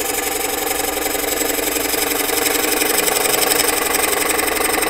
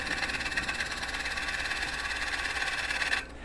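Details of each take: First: Rapid even chattering clicks, about four a second, as bowl gouge bounces while cutting at 45 degrees on out-of-round bowl; end grain sticking out is cut while side grain not yet reached. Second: Woodturning a twice-turned bowl, scraping cut with bowl gouge on the shoulder: noise from hitting high spots settles into a steady even hiss with no chatter; smooth, even flush cut.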